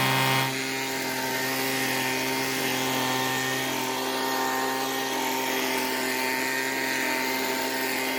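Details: Weedeater two-stroke leaf blower, long stored and not starting: steady, even high-pitched buzz at constant speed with no stumbling or misfires; runs normally.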